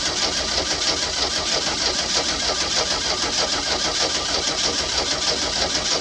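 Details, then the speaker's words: Old boat with sterndrive, unknown condition after sitting, new spark plugs fitted and little fuel added: steady even cranking churn that never catches or speeds up; crank no start, owner suspects rusted cap, rotor, points and condenser or fuel needing priming. "okay all right so at this point it's not starting but I know this thing has the cap rotor points and condenser in it and from sitting it very well could be rusted up"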